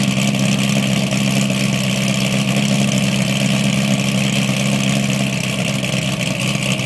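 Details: 2008 cammed LS3 Corvette coupe with LG street series headers, high-flow cats and NPP dual-mode exhaust, after an exhaust leak was fixed: the cold start settles into a loud, lumpy idle in loud mode, with no ticking or puffing. This is normal.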